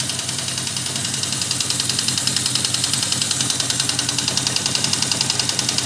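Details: 1979 Yamaha XS 1100 Special, about 11,000 on the clock, idling: steady rapid metallic clacking in time with the engine, fades at higher revs; owner doubts rod knock, suspects valve or a non-firing cylinder; knock of unknown cause.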